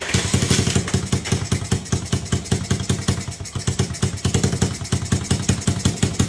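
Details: Restored Honda Z50 50cc four-stroke with the exhaust refitted and idle adjusted: quick, evenly spaced single-cylinder pops, about nine a second, in a steady rhythm. Normal idle.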